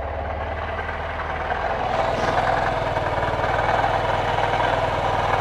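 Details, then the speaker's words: 2023 Honda CB125F single just after valve clearance adjustment, before warm-up: catches and settles to steady even idle, smooth patter, earlier rattle gone (likely exhaust valve not opening enough); normal idle. "that sounds brilliantly smooth and look it's clear we are going to let this bike warm up"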